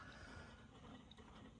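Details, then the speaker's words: 1957–58 Heathkit Marauder HX-10 VFO tuning drive after relocating the shaft collar to the rear of the VFO bushing: light, even mechanical whirr as the dial turns, no grinding or catching; smooth tuning gear drive. "and when you go down this way it'll be easier to turn because of spring and I can almost coasted down here now which is nice so yeah it's not grinding for once I must have got it set right my"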